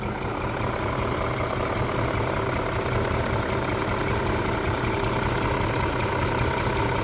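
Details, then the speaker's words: BMW E39 M5, S62 V8, sat for years, just revived: idle with uneven chugging about once a second; lifter tick gone, owner says misfiring badly, sounds like an air leak, camshaft and crankshaft sensor codes. "engine is really not misfiring itself. There is definitely a distinct chugging. It's kind of like a air leak, it sounds like,"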